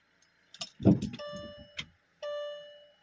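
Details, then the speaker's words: Car with an internet tuning file flashed to the engine ECU: after ignition on, two clear dash chimes amid key handling, no engine light, cranking refused because the car doesn't see the engine ECU: warning chime, ECU not detected. "I start to crank the car, okay? Nothing. It doesn't allow me. Why? Because this car, it doesn't see the engine ECU."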